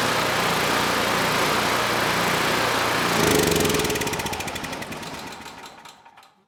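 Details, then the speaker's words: Generac GP5500 generator with low compression and a decompression system, restarted after a valve clearance adjustment: single-cylinder engine runs evenly at a steady rate, then shuts off and coasts down; it starts and runs normally, though possible power loss is unconfirmed. "So good. Even with that adjustment, the engine can still start."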